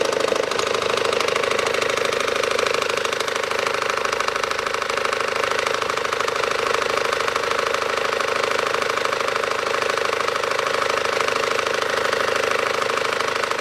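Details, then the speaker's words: 2012 SsangYong Actyon 2.0 diesel, manual, 4WD, 77,000 km, idling with AC compressor on, knock appears when AC engages: hard even knock about twice a second from the lower belt drive; possible belt tensioner knock. "включен компрессор кондиционера звук когда candy кондёр включается звук появляется стучащий"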